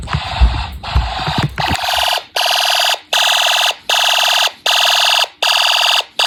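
Steady high horn blasts pulsing about once every seven tenths of a second, evenly spaced: the panel's zone one alarm is sounding.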